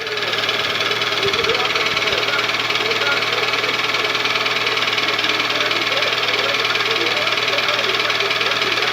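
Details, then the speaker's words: Toyota 2AZ engine, cold start warming up: quick steady knocking nearly four per second through loud engine noise, fading as it warms but still knocking hot; piston slap suspected, Dimexide decarbonizing flush did not help. "только что зовем вот такой вот стук по мере прогрева ступни множество уходит но все равно на горячие стучит двигатель 2az в 313 вот прогревается начинает потихоньку стручок уходить"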